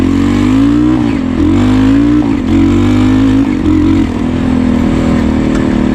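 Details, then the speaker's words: 1988 Honda TRX200SX quad engine swapped into a 1984 Honda ATC200X trike with automatic clutch, on its first ride before the air filter is fitted: single pulls cleanly through the gears, pitch climbing and dropping at each shift, crisp with no misses; runs great. "But yeah, man, it runs great."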